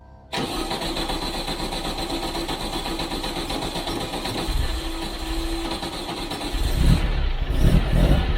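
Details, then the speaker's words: VW Bug race car flat-four, first start after engine strip-down, check-up and reinstall with exhaust refitted, twin carbs not yet balanced: catches cleanly and settles to an even, lumpy idle; no ticking or puffing, no exhaust leaks, sounds healthy. "sounds pretty good actually sounds uh sounds like it doesn't have any exhaust leaks which is a relief"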